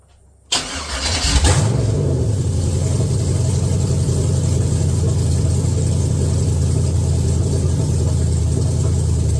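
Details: Chevy S10 with LS 6.0 V8 swap, first fire-up on a donor truck's computer, weak battery, 60 psi oil pressure: quick crank, catches, flares, then a deep, even, steady idle with no knocks or misses; normal idle.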